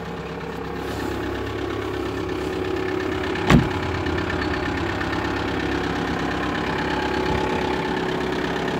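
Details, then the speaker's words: 1999 Audi A4 Avant 1.9 TDI diesel, first start after weeks buried in snow, very cold Hungarian winter: cold diesel settles into a steady idle clatter with one brief bump, even and unforced; running fine. "you can hear it the diesel engine starts for the first time [Applause] yeah she's on nicely sound I think she's perfect she's old but gold"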